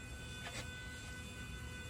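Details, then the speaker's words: 2016 Tesla Model S P100D after a coolant leak repair, coolant refilled to nominal. A steady, even electric hum with a few fixed high tones and no rattle or surging: the coolant pump runs cleanly and normally. "yeah that sounds that sounds clean"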